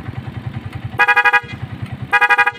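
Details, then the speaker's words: Honda TMX Alpha 125 after a full wiring rework, 3-way horn switch flipped up to the Night 3 Pro loud horn: two strong, clear blasts of about a third of a second over a ticking idle; headlight doesn't flicker; horn works well. "Eh, paano naman kapag naka loud horn naman siya? So, pataas naman. So, pakinggan"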